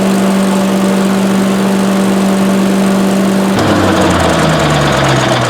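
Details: Briggs & Stratton Vanguard 18 hp on a leaf vacuum, stored four years, after carburetor replacement and fresh oil: steady even engine hum holding one note, then dropping to a lower smooth run with no misses; healthy running.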